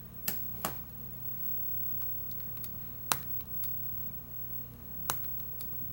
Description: The screen seems to pop or click against the frame on the left side of the tablet. Very annoying and you can feel/hear it the whole time while using the tablet.